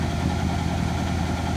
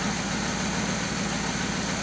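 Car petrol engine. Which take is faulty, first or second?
first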